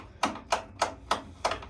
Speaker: You want to make sure when you push it this way, it stops. When you push it backwards, it clicks.